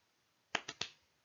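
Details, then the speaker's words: A Geiger counter with the radioactive source removed gives three sharp, dry, randomly spaced clicks in a quiet room: ordinary background radiation. "those clicks are just the background radiation of stuff that is happening just randomly"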